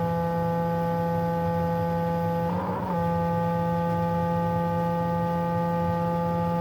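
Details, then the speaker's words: Stepper motor driven through a breakout board from Mach 3, powered on: steady, unchanging electrical hum with no rotation; stepper motor buzzing but not turning, owner unsure whether it is wired wrong. "Um, my stepper, she's solid right now. Everything's powered on. But it makes a real strange noise when I try turning it."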